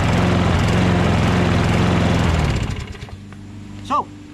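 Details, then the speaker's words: Toro Recycler mower with Kohler XT675 engine after the loose front bumper was bent back, reinstalled and cushioned with silicone at the tabs; runs steady with no front rattle or vibration, though it still surges. "Doesn't vibrate anymore and make that sound in the front, but now I gotta figure out why it surges."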